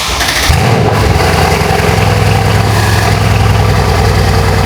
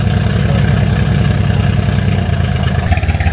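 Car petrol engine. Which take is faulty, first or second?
second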